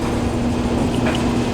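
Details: Kenmore Series 70 clothes dryer after inspection and part replacement, including the heating element, for poor drying: an even, steady hum and drum rumble with no knocks, squeals or scraping. Normal running.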